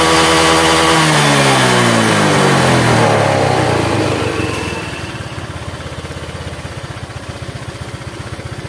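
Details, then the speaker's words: Honda Vario 125 that burns oil after the engine once ran dry of oil. Revs drop to a choppy idle with a dry, rough clatter from the CVT as the throttle closes; the mechanic suspects a worn roller housing. "Oke bagian cptnya ada suara kepericik ya pada waktu Los gas nah ini suaranya kedengaranik kayaknya suara rumah roller kayaknya"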